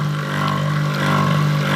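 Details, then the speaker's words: Electric water pump, primed with water, runs with a steady hum and coarse rough edge but only foams and won't lift water; water drips at the joint between impeller housing and motor. Rough running, not priming, before repair. "sudah kita pancing dengan air dan di sini hanya berbuih alias berbusa ya dan ini bunyinya kasar ini friend Oke ini akan kita Bongkar dan kita lakukan perbaikan jadi ini benar-benar tidak mau ngangkat ya untuk airnya dia hanya berbuih dan juga berbusa seperti ini ya"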